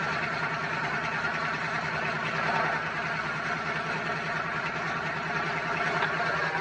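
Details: Twin-turbo Dodge truck, started on a freshly charged battery after all vacuum lines were replaced to fix a driver-side leak from turbo to wastegate, not yet tuned: a steady, even idle with a smooth repeating pulse and no misses or hiss. Idles healthy.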